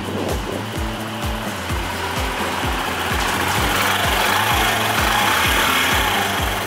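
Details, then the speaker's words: Honda CD90 Benly single-cylinder motorcycle revving: a light, tinny rattle rides on the engine and worsens as revs climb; it comes from the rear license plate, which lost its bolt and vibrates, not from the engine. "Mọi người có nghe cái lịch xịt đó là biết gì không? Cái biển số phía sau nè, nãy lúc mà lên ga kêu á là tại biển số phía sau nè nó bị rớt ốc á nên là xe nó đề máy rung, nó kêu lịch xịt á chứ không phải gì hết trơn nha."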